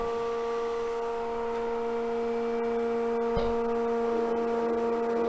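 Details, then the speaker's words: Wood lathe at very slow speed with a bowl held on a vacuum chuck at a little over 20: steady, even motor hum with no knocking, rubbing or wobble; the bowl is spinning true. "you see it's it sounds like it's spinning true i think it's spinning true"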